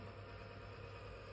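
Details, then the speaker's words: IFB inverter AC after PCB repair (faulty board section replaced, main problem was wrong wiring): low, steady, even hum with no rattle or pulsing as the indoor fan motor and compressor run. Normal running. "ಈಗ run ಆಗಿದೆ ನೋಡಿ, indoor fan motor run ಆಗಿದೆ. ಇದರಲ್ಲಿ status LED ಬರ್ತಾ ಇದೆ ನೋಡಿ. Compressor run ಆಗಿದೆ sir, compressor ರನ್ನಿಂಗಲ್ಲಿದೆ, compressor ನಡೀತಾ ಇದೆ ಅಂಥೇಳಿ ನೋಡಿ."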